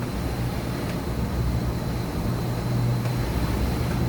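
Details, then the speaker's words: 2013 Mazak HCN 4000 Mark III horizontal machining center, X-axis 17-inch side-to-side travel at 50% rapids: smooth even low hum with faint steady whine, no knocks or grinding; way covers and ball screw sound good. "Way covers are moving nice. Ball screw sounds good. Sounds good at 50%."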